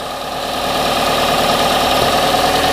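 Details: Car that failed to start, after charging its battery: steady, even idle with no misses or knocks, engine keeps running with the battery off, indicating the dynamo is charging.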